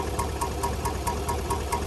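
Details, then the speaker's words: 2019 GMC Sierra 1500 5.3L V8 at idle with sharp even ticking about four to five times a second, a lifter tick, with lifters and camshaft needing replacement. Related to the AFM/DoD active fuel management system. "There's a lot of other noises that can demonstrate the same blurry of a lifter tick, but this is going to be the lifter tick in this 53 L motor"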